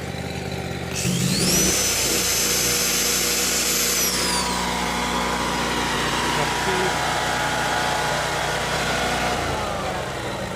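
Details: Yamaha EF12000DE generator with 22 hp Robin industrial twin, after electrical repair and cleaning: catches and settles into a smooth, even drone with no knocks or misfires; normal idle.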